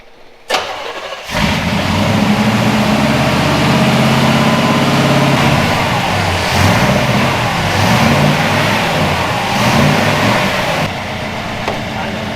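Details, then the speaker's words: 1962 Chevy pickup V8 after tuning, previously missing with a lopey big-cam sound: starts quickly and holds a steady, even idle with no skipping, firing on all cylinders. "It's firing on all cylinders. It was missing before. That's why it sounded like it had a big cam."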